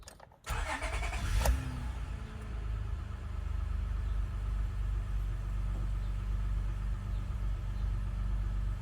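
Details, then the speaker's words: Honda Odyssey with a no-start from voltage dropping at OBD pin 16, starting with 12 V injected into pin 16: a brief crank catches quickly and settles into a smooth, even low idle. Normal start. "okay this is with the power injector in there just to show you what it does key inside first position second position and start"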